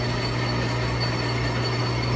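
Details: Used Nardini DT 650 lathe (2200x650), cleaned and lubricated, running with longitudinal feed engaged: steady, even low hum with a constant faint high whine, no knocks or rattles; running smoothly under feed.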